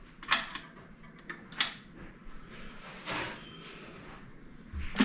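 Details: Realistic LAB 34 turntable, built by BSR for Radio Shack in 1975 with a Shure cartridge, dusty and long unused: a few sharp clicks and soft clunks spaced over several seconds as the changer auto-cycles and the arm sets down; it is working normally.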